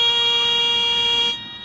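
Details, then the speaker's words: Training aircraft on a power-off stall approach, airspeed getting slow with nose held on horizon; steady shrill stall warning horn sounds for over a second then cuts off before the buffet. "you know that just by glancing at the air speed we hear that stall warning indication"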